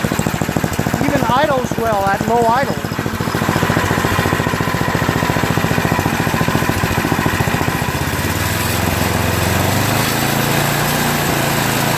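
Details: Yard Machines MTD 8HP 24-inch snowblower, after rerouting of the cracked oil breather overflow tube that had been leaking oil: an even, steady single-cylinder thump, about three beats a second, with no misses or surging. Normal running.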